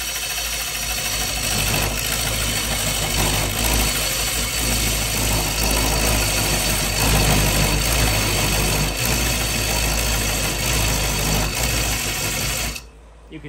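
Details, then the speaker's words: Bowl coring with a Oneway Easy-Core on a lathe: a steady hum with a rough chatter pulsing about four times a second; the small tenon lets the bowl vibrate and wiggle during the cut. "that vibration those vibrations can get dangerous if you let them get too much the bowl actually will start to wiggle"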